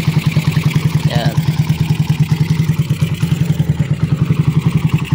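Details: Raider 150 carb motorcycle after top overhaul (scored cam and cam holder repaired in the head): steady, even single-cylinder putter at idle with no ticking from the top end; idles quietly and normally, carb possibly next to replace.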